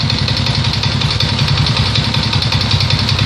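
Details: Alfa 110 moped, small single-cylinder idling after crankshaft replacement: irregular metallic knock about two to three per second over the exhaust beat; engine knock, cause unknown.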